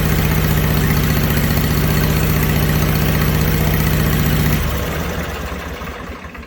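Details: Snapper mower with rebuilt, upgraded Briggs Intek V-twin, new muffler, warm after priming; steady even low thump at idle with no misses or knocks, then shut off and winds down smoothly; normal idle.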